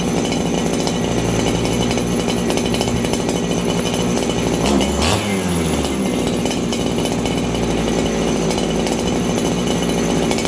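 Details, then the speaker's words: Farmertec 288 kit chainsaw after adjusting the carburettor jets (high just under 1 1/4 turns): runs fast and steady with a slight bobble dipping pitch; now a little on the lean side. "Okay, so you guys hear that little bobble? This thing is a little bit on the lean side."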